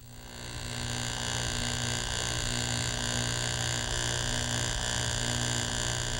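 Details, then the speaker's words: Driveline demo model, card held on sprocket of first shaft driven by constant-speed electric motor: even, unchanging buzz with no rise or fall, indicating steady shaft speed. "the constant sound indicates constant speed"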